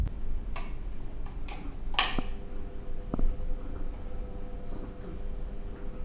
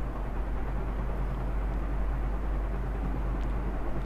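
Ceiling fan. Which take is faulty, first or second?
first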